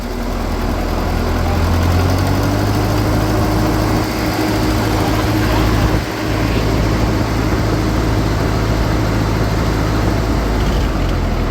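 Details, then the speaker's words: Ferguson tractor (TEA20 or TO35) idling after exhaust system replacement, reused muffler and old gasket, not leaking: deep, steady idle with an even low beat and no popping or ticking; much better, normal idle. "tractor that's much better that's the best $150 exhaust system I ever bought"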